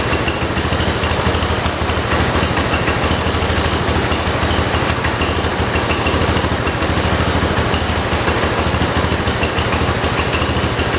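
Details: 1968 John Deere 112 garden tractor with a swapped-in Kohler single-cylinder engine, at low idle: loud chugging with an uneven, stumbling beat; rough idle from incorrect carburetor fuel mixture, disturbed by the air filter.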